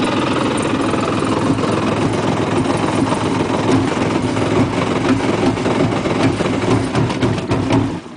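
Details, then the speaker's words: Cold two-stroke jet ski given too much throttle before warming up: uneven, sputtering note that stumbles and dies away; flooded cold engine, needs restarting and gradual choke-off as it warms; smoking heavily, cause unknown. "Just a little bit. too much gas. Now it's running bad."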